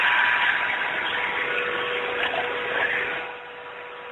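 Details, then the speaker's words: ZX45 mill after belt-drive spindle conversion, running about 8,100 rpm: steady, fairly quiet high-speed hum with clean constant tones, no knocking or wobble; smooth spindle, column base about 93°. "okay here's about 8,100 RPMs as you can hear it's fairly quiet pretty decent"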